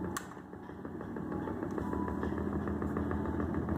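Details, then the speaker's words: Test of a home-built electric motor running on coil circuit 3 only. A light, regular tapping of about three knocks a second rides over the hum; owner found slight play in the bearing: bearing play knock. "Tá fazendo um barulhinho, um toque, toque, toque, toque, que eu não sei o que que é. Talvez algum joguinho no rolamento."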